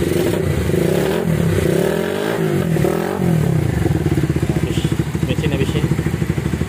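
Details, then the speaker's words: Minerva R150 Xrod, previously noisy and blowing white smoke; after replacing the piston and rings it blips cleanly and settles to a smooth, regular idle with no knocking or rattle, sounding healthy. "Sekarang udah lembut suaranya. Oke. Jengkol ya. Suaranya adem."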